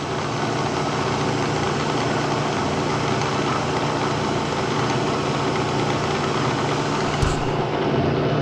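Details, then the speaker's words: 1970 Bridgeport milling machine, found dirty and abandoned, quill test in high speed: smooth, constant hum with a steady low tone, no knocking or grinding; sounds all right, just very dirty; running normally. "yeah okay I don't know it sounds all right just dirtier than hell"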